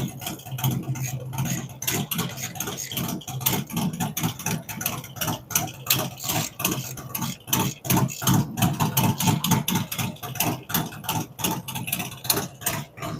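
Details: Freshly built V-twin with a cam, adjustable pushrods, aluminum intake, 5.3 injectors and Thunderx headers: a low, loping idle with uneven pulses about ninety a minute, holding steady; settled normal idle.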